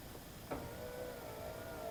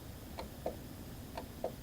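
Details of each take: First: 2011–2012 Subaru Legacy power window after replacing cable-driven window motor/regulator assembly (was stuck up): smooth steady motor hum about two seconds with clean stops at each end; normal operation. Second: 2012 Subaru Legacy door window motor fed 12 V directly, then with polarity reversed: sharp clicks in pairs with no running whir, and the window stays stuck. Motor may be working; the window regulator cable is suspected.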